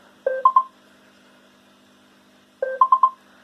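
Two short groups of clear electronic chirps, one low note then three quick higher tones, about two seconds apart: the diagnostic test step passed and is advancing.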